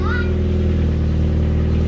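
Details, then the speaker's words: Ford Fiesta after exhaust leak fixed at home: deep, even engine note with no blowing or farty puffing; exhaust now sealed and sounding good. "and it's nice to not hear blowing and silly farty sounds that sounds good"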